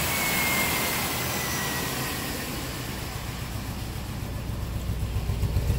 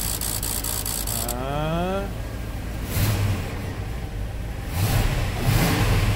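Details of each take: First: 1997 old-body-style work truck at idle, misfire with no codes: uneven lope with a missing beat every few pulses, plus strong fuel smell. Dead cylinder; the number two injector pulses but delivers no fuel and needs replacing. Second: 1997 work truck V8 after replacing a number two injector that pulsed but delivered no fuel, causing a lean-cylinder misfire: starter whirs, engine catches and settles into a steady, even idle with no stumble; the misfire is gone.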